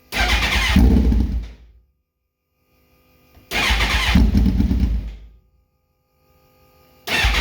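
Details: Suzuki GSX-R1000 2006 motorcycle: two short cranking bursts of under two seconds, about three seconds apart, engine never catches; hard starting.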